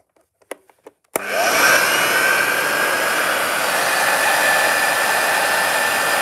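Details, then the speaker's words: Upright vacuum cleaner over 50 years old, long stored in a loft, run with belt on but no bag (belt may need replacing): a few clicks, then steady even roar with faint constant whine; normal running. "no for a vacuum cleaner that's uh over 50 years old it doesn't sound bad"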